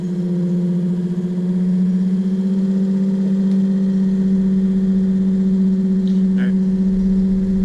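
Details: Excursion/Bison 24V 86lb-thrust trolling motor after melted brush holder replacement and resealing, bench-tested: steady electric hum rising as speed increases, smooth and even, no scraping or crackle; normal running.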